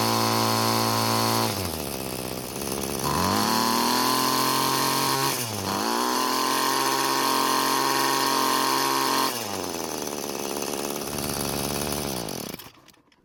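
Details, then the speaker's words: Free curbside Bolens two-stroke string trimmer, head with four thick string ends suspected of loading the engine heavily: revs rise and fall in bursts, climbing higher once load comes off; the cutting head was overloading the engine. "trimmer head is putting a tremendous load on the engine because of the number of strings and the diameter"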